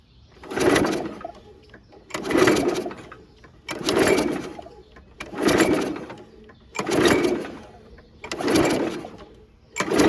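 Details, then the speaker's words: Free curb-found 2011 Toro 22" Recycler (model 20333), Briggs & Stratton 190cc Quantum engine, automatic choke, no primer, test start with a little gas: seven recoil pulls that whir but never catch; it backfires out of the carb, and the owner suspects the flywheel key. "I don't know if you guys can tell. It was backfiring out of the carb. So, I think we might have to take that shroud off and look at the flywheel key."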